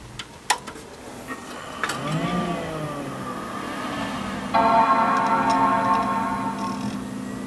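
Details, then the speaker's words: Mid 2003 dual-processor Power Mac G5 powered on with the internal air shroud in place: short startup chime, then a steady soft fan whir with faint high tones settling to an even idle level. This is normal idle loudness. "so that's about how loud it will get when it's idling."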